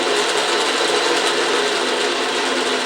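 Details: Autobox 8x16 mini lathe, new, carriage power feed running right with carriage rail locked: steady even gear whir with light fast ticking from the feed train, no knocks or grinding; normal power feed.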